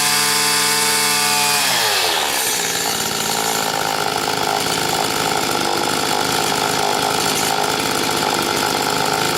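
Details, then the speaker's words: Stihl FS80 trimmer after carburetor rebuild and ultrasonic cleaning, low-speed screw backed out about 4–5 turns to test the bog: climbs from a choppy idle to a flat, buzzing high rev under load. Lack of power at high speed. "Let's see if we still have a bog issue here."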